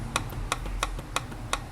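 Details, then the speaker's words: Honda CG 150 motorcycle engine at idle, opened up: sharp, even metallic knocks about three per second; clutch housing first suspected but found welded, cause is crankshaft play in its main bearing. "Quando a o motor tá em marcha lenta, bate muito, faz muito barulho."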